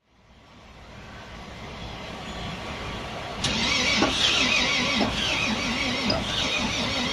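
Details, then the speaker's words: Volvo FM 370 truck, Volvo D11 diesel, long parked: starter cranks in an even churn for several seconds but never catches after a first fuel-system bleed; air still in the fuel lines, so fuel is next pushed through with air. "Bởi vì động cơ vẫn không thể khởi động, chúng tôi đẩy nhiên liệu sử dụng không khí qua "Bình nhiên liệu"."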